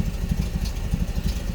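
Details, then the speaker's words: 1986 Nissan pickup, engine possibly not original and leaking oil: low, lumpy idle with uneven chuffing pulses, sounding like a tractor; cause undetermined. "Is it leaking? No, we don't even need the clamps. It's not even leaking. It sounds like a tractor."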